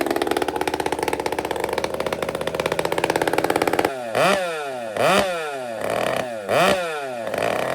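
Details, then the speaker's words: Chainsaw without decompression valve, started on choke and prime, after repair and tuning by another person: burbly, uneven wide-open top end, then sharp blips back to a steady idle; good power but rich at the top. "He's got this tuned really nice. He's left me some room at the top. I can feel it. It's got nice whack, but it's fat at the top."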